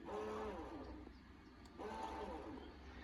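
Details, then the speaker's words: Audi A4/S4 trunk latch actuator, opened with the in-car button: a short thin motor whine rises and falls twice with no latch clunk, and the trunk stays shut. The actuator motor is failing and needs replacing. "Sometimes you can hear like the motor is whining but doesn't open."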